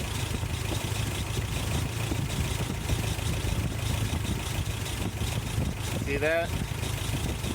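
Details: 1988 Toyota Pickup 22R, Aisin carburetor, after timing chain, water pump and oil pump replacement: steady even low idle rumble, no knocks, misses or rattles; earlier kept shutting off, now smooth and healthy.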